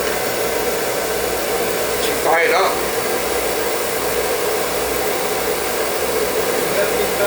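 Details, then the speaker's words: Oil-fired Viessmann boiler with a likely Beckett burner, no heat, serviced with a new nozzle and reset pump pressure: steady, even roar of flame with good oil flow and no popping or spitting, a clean, stable fire. "all right new nozzle reset pump pressure and good oil flow you can hear it's not spitting spiderman or nothing"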